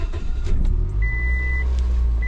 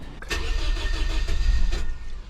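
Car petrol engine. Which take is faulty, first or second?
second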